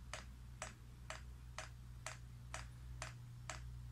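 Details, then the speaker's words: Chinese diesel air heater with rotary controller priming: sharp, evenly spaced dosing pump clicks, about two a second and gradually speeding up, over a low hum; normal priming lasts about five minutes. "and you can hear I'll gradually get faster that clicking sound on the pump"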